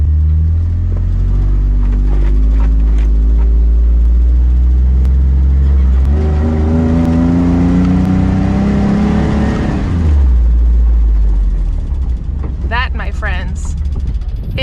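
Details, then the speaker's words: Truck pulling away after suspension spring work, engine revs climbing and easing: no creaking or squeaking heard; suspension sounds normal. "no creaking or squeaking squeaking or cracking i keep getting it the wrong way right so it is a win for today"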